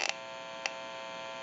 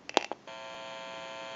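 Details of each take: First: TP6A military rotary desk telephone at initial checkout: pressing the button on its open receiver amplifier gives a steady buzzy hum with sharp clicks. It is prone to static and atmospheric interference; electrical hum from the amplified pickup. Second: TP6A military rotary desk telephone on final checkout with an open amplifier listening to the receiver: after switch clicks, a steady low electrical hum from static pickup in the background, nothing faulty. Normal amplifier hum.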